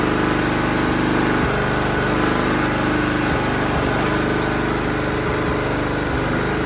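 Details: 2011 Toro Personal Pace 20333 mower with blade clutch, B&S 190cc, after carb clean/rebuild, new spark plug and re-gapped coil (wouldn't stay running before): steady, even beat at constant speed, no misses or surging; healthy normal running.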